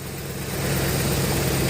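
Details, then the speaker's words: 2003 Ford Explorer at idle as revs drop, heard from underneath, no power and plugged catalytic converter, slight miss: steady low idle with tinny loose rattle like something shaking in a can; broken converter internals, not engine knock. "Now you hear that noise? Sounds like a can, something inside of a can rattling around."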